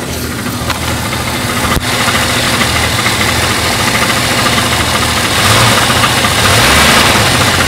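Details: Jeep Cherokee engine at idle: fast rattling knock over a busy idle, ticking with engine speed; loose flexplate (ring gear) bolts.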